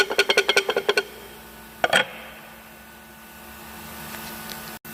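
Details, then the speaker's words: Audi Q5, about 10 years old, ~70,000 km, dual-mass flywheel removed with gearbox: quick run of loose metallic clunks, about eight a second, as it's rocked by hand; worn flywheel rattling. "А снимали мы, потому что гремит маховик. Гремит вот"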